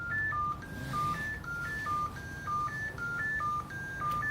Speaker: you press the power button it comes on you wait a couple of seconds and it's gonna beep as you can hear us beeping right now